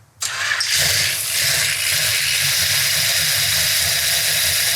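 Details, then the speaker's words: Restored numbers-matching 1968 Dodge Charger R/T 440 Magnum V8 first start on an engine run stand: catches cleanly without backfire into a steady brisk fast idle; lifters not yet pumped up but sounds great. "there's not a better feeling you hit that button and it fires off and doesn't backfire and crap all over the place now i always expect them to be noisy because the lifters aren't pumped up yet but boy it sounds great"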